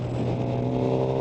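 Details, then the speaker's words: 2012 Suzuki GSX-R750 motorcycle under light throttle around 4000 to 6000 rpm: steady, unpleasant droning resonance on a particular frequency when the throttle opens slightly; source unknown, fine below 4000 rpm. "autour de ce régime là là qui entre on va dire ouais 4000 on va dire de 4000 à 6000, il y a une résonance, je ne sais pas d'où parvient cette résonance. Mais je trouve qu'elle est plutôt désagréable à l'oreille."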